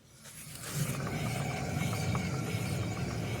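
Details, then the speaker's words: 2011 Chevy Impala with a humming noise while driving and tires in good condition: a rear wheel spun freely by hand gives a low, rough rumble, harsher and thicker than the other side, with play felt when shaken; a worn wheel bearing. "it's more harsh noise than the other side very obviously thicker noise"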